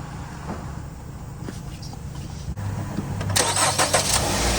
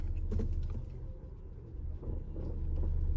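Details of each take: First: 2019 Ram Promaster City after rear bottom engine mount replacement, start and idle in rain; catches and settles into steady even idle, no rattle or shudder, vibration noise about 90% less, no engine jumping when shifting; new mount holding well. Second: 2019 Ram Promaster City in reverse: deep engine rumble with scattered dull thuds, engine jerking, loud vibration in reverse and drive but silent in park and neutral; worn rear lower engine mount.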